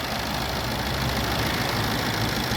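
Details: Maruti Swift diesel after an engine overhaul (the crank was damaged when the oil pump failed): even diesel clatter at steady idle with no knock or rattle. Normal idle, the noise is gone.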